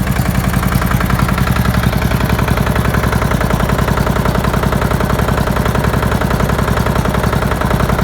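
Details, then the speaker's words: Murray flathead single-cylinder engine at first start in a long time, possibly filled with used oil: a steady heavy clatter of about 3.5 knocks per second, with no smoke at first. The owner thinks it needs a rebuild. "Not even blowing smoke. Wow. Knocking pretty bad though."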